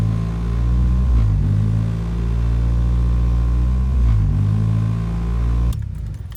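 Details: High, steady fast idle hum on a warm 1990 Toyota Celica GTS after reinstalling the stock airbox and checking the IAC; idle still too high, owner suspects a large vacuum leak, cause not confirmed.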